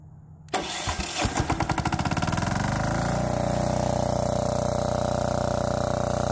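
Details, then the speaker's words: Old Lombardini 15LD400 diesel generator, barn find, electric start: it cranks briefly, catches within about a second, then settles into an even, steady clatter with no misses, a healthy start and run. "all all right sounds good runs good"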